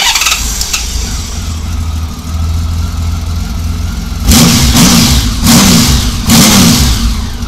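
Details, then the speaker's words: 1999 Honda Valkyrie Interstate six-cylinder after carburetor rebuild and synchronization; steady idle then three sharp throttle blips returning cleanly without hanging or dipping, though slow circuits seem slightly rich; normal throttle response. "she don't hang at all and uh she doesn't take a nosedive after a snapping the throttle you know and idle down and come back up"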